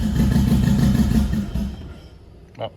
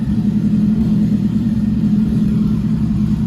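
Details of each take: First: Freshly built 10k-rpm MR16 engine, first start after replacing the cam sensor to fix cam sync: throttle held open by hand, runs with an uneven, lumpy beat and unsteady pulses, then stalls; rough running, idle not yet set. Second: Freshly built 10k-rpm Nissan MR16 engine at first start, idle adjusted after initial stall: smooth, even low hum with steady beat, no knocks or ticks, good oil pressure, no leaks; normal idle.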